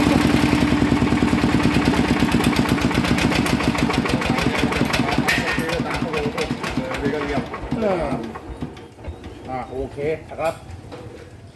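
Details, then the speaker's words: Yanmar 160 single-cylinder diesel with a rhythmic noise: a rhythmic knock on every turn, then it slows to a stop. Teardown found the bearing had failed, was loose and had spun its whole housing. The housing may need building up, or a new bearing tried first. "น่าจะเป็นลูกปืนแน่นอนนะครับครับผมอ่ะนะครับก็รั่วมาแล้วนะครับสำหรับเครื่อง160นะครับปืนมันตาย"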